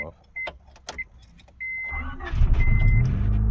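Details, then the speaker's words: 1991 Honda Civic RT4WD EF wagon, not started in months since winter, on a new battery; it has a history of overheating and coolant bubbling and burns oil. It starts right up and idles smoothly with no clatter under the seatbelt chime. "It still idles really smooth. No clattering."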